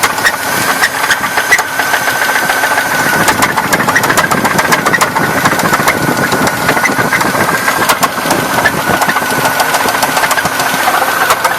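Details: 1994 Buick Park Avenue, bought weeks earlier, after replacing brake line, fuel line, battery, coolant temp sensor and starter, suddenly knocking at idle; loose uneven knock a few beats a second, owner suspects rod knock.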